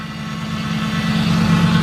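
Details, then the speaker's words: Ford Crown Victoria V8 after intake manifold replacement, which followed years of O2 sensor, catalyst and misfire codes: steady, even low rumble with a smooth firing rhythm, no misfire or stutter at startup. "Yo, running like a top. No misfire, no nothing."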